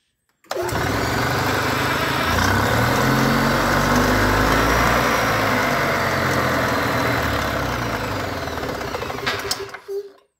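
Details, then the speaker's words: EZGO golf cart twin that had been down on power running on one cylinder, after fixing a damaged spark plug wire and cleaning carboned plugs: it runs smooth and steady on both cylinders (both warm to the touch), then shuts down. "now I'm ready to try starting this thing again sounds like two cylinders to me let's do the touch test that one's warm that one's warm"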